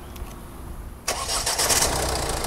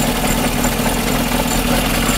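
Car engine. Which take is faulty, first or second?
second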